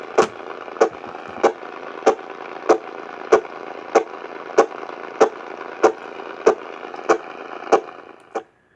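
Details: AM radio picking up sharp static cracks about every 0.6 seconds over a steady hiss. The interference likely comes from a nearby Cen-Tech automatic battery float charger, Harbor Freight item 69955.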